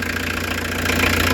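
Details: Restored diesel camper van just after first start with a new engine radiator, warming up while being watched for coolant leaks. Steady, even clatter at idle with no misses or odd knocks; sounds healthy.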